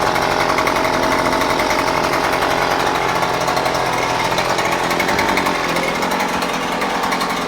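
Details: New Husqvarna 130C gas string trimmer, first start after primer bulb and choke: steady high two-stroke buzz without stumbles or surging; runs cleanly, normal running.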